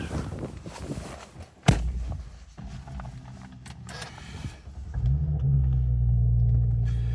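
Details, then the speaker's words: Audi S5, stock engine, complete cold start: the engine catches and comes down off a steady elevated fast idle, quickly settling into a smooth idle with no warning lights, running as it should. "See, it's completely cold start there. And just coming down off fast idle. There you go. Quickly into a smooth idle."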